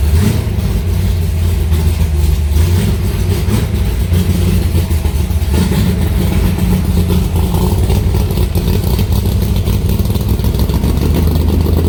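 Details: Aluminium-bodied Cobra V8 idling in a garage after first start in two months, fired right up: deep, even rumble holding steady with no ticking, knocking or stumbling; healthy, settled idle.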